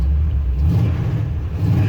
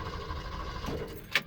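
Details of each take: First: 1974 Ford F100, carbureted, heat-soaked carburetor, restarted roadside after exhaust bang and blown ignition module leads; belt squeals on startup; vacuum advance slightly draggy: deep rumble swelling with throttle blips, returning cleanly. Normal running. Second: 1974 Ford F100 with a 302 small-block Windsor and T5 swap, roadside after a loud exhaust bang: steady, even cranking with no firing, then a short clatter. Cranks but won't start; no oil leaks or block holes, owner suspects it ran out of fuel and leaned out.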